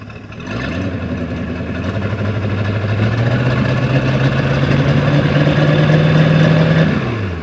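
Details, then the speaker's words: 1996 Sea Ray 260 big-block boat engine, exhaust exiting through the prop, running in forward gear: smooth even drone climbing in pitch with revs, no knocks or misses; normal running. "yeah go dude that sounded way better than the uh chaperel does it was smooth it sounded really smooth"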